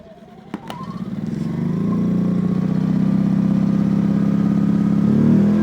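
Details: Brand-new, never-run Yamaha EF2200 generator on its first start, choke then off: two sharp pull-start snaps, then the engine catches and settles into a smooth, steady hum; normal start and run.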